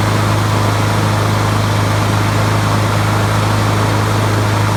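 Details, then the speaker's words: 20-year-old Honda HRB215 mower, previously sounding like it ran on choke with the air filter on; after swapping in a used spare carburetor it holds a steady, even single-cylinder drone at constant pitch, no surging or misses. Normal running. "So that carburetor must have been it. Something's wrong with it."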